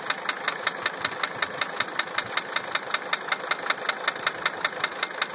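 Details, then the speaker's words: 1980 Mercedes-Benz 300 SD diesel at idle: a sharp, very even metallic knock about 158 times a minute; injectors #1 and #3 were replaced, and cracking each injector line ruled out injector nailing, so the cause is still unknown. "I replaced injector number 3 completely. Because that was the only injector that when I cracked the lines, the sound changed. And, well, didn't change it enough."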